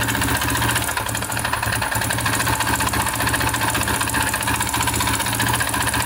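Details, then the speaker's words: Yamaha TTR125 dirt bike (believed 2003), sat three months, run out of oil; idles with a loose fast ticking rattle, about three per second, uneven; first suspected top end (timing chain or valves), teardown found failed rod bearing with crank play. "it's the crank oh the rod bearing went look at that play in there that is a bummer that sucks for the guy look at that well that was the noise we were hearing"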